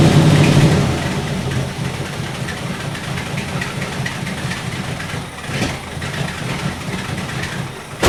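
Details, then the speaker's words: 1964 Buick Electra 225 401 Nailhead V8, restarted after a rebuilt Carter AFB 4-barrel was reinstalled: catches and settles into a lumpy idle with occasional stumbles. An intermittent misfire; the owner suspects worn points and condenser despite having spark. "I think what I'm going to do now, the way that's behaving is I get going for a while and I get a misfire."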